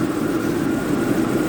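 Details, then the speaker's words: Jaguar with intermittent cold-start problem after overnight cool-down, owner suspects fuel pressure regulator; started fine this morning, steady even idle hum with no misfire or stumble; normal idle. "But so let's try one more time. It looks like today we're going to be all right today."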